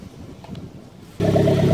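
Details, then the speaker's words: Toyota MR2 Roadster/Spyder 1ZZ turbo, which burns oil, idling with engine flush added to the oil: soft, muted, even exhaust note, much quieter after adding exhaust baffles. "as you can hear the exhaust is a lot quieter now than it was adding the baffles"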